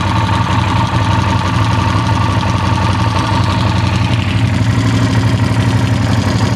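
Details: Yamaha TRX850 twin at idle: a steady low throb with an uneven light tapping mixed in. Abnormal engine noise, source unclear.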